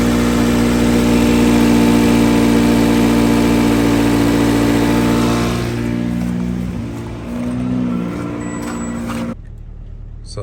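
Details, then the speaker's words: Car that ran rough and kept dying, idling after the carbon-fouled throttle body was sprayed with intake cleaner: the strong idle hum dips and wavers during spraying, then settles to a smooth, even idle; battery voltage reads 14 V. "now it's not running rough it's running happy and show you guys if we go into battery voltage happy at 14 so very cool"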